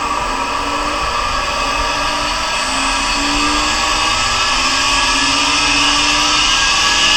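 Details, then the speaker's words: Monarch Merit lathe motor on its new AC drive (VFD), first run from internal controls, carrier about 8 kHz, at 90 Hz (150% of normal). Steady high electric whine over an even hum, no knocks or rubbing; motor spins smoothly at high speed. "with 90 hertz so 150 percent of normal"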